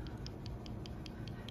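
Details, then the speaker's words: Ford Expedition transmission valve body, removed after low line pressure test, boost valve slid by hand in its sleeve: light crisp even clicks about five per second; valve moves freely, working properly, then cleaned with brake cleaner. "That is working properly."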